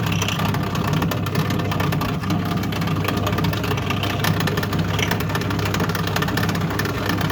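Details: Toshiba 8 kg washing machine during spin: loud steady droning whirr with heavy low rumble from the noisy drain pump, which needs replacing.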